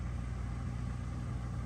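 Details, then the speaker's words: Dishwasher that would not drain, after installing a new drain pump, drain cycle with water added: steady even low hum with no rattle or grinding, pump draining normally. "I'm going to hit the drain and listen for water hopefully it will drain out and yep guess what everybody it is draining as I"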